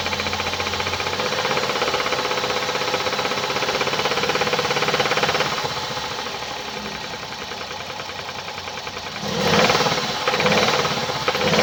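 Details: 2017 Hyundai i30 PDE, 2.0 petrol G3LS (88 kW), 77,160 km, idling: fast light metallic ticking about three per second over a smooth idle, following engine speed; attributed to defective hydraulic lifters.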